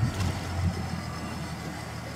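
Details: Yamaha outboard on a 2021 Helm Master EX system, started by pressing the ignition button then start: it catches quickly and settles into a low, steady burble with no stumbling, a normal start.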